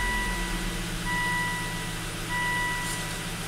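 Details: Volvo wagon after replacing the corroded fuel pump control module with a used one, restarted with fuel pressure held at 55 PSI and 50% duty cycle; steady, even low hum at idle with a cabin chime beeping, running normally.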